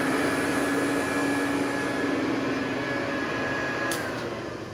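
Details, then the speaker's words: Hoover Convertible U4007 upright vacuum with upgraded aggressive brush strips, HEPA bag fitted, set on normal, during a carpet pass test: smooth steady motor hum with airy rush, no knocks. Normal healthy running. "Love that sound. That's such a pleasant sound to listen to."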